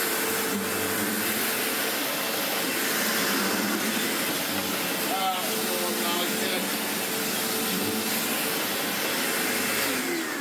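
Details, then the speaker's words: Sebo X4 Pets Eco upright vacuum after refurb, with the missed part refitted: steady, even roar and airflow hiss on carpet, no rattles or surging, head nice and grabby. Airflow up to 17.8 mph, water lift a solid 70; normal running. "Nice and grabby."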